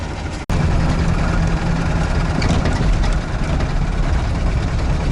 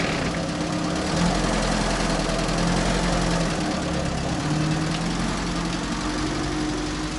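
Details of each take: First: UAZ 469 engine while driving home after oil pressure dropped to zero; deep drone with faint steady knock, quieter at low rpm, owner suspects a bearing shell: engine knock with no oil pressure. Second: UAZ 31512 petrol engine revived after standing, started with petrol poured into the carburetor: a steady low idle, about three and a half beats a second, with a faint mechanical patter. It idles on its own, normal idle.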